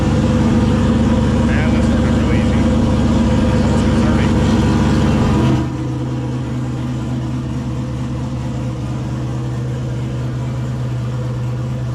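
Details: 2000 Camaro turbo 5.3 LS, 190k+ miles, stage 2 cam, Holley Terminator X, after head gaskets and new radiator, fan and shroud: brief higher run settling to steady even low rumble idle, no misses or knocks; healthy.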